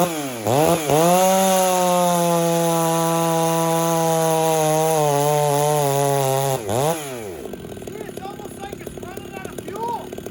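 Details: Chainsaw being tuned leaner and richer between cuts, slightly dull chain, hot day: revs high holding a screaming pitch, sags briefly, chatters into the cut; over-revving, judged too lean.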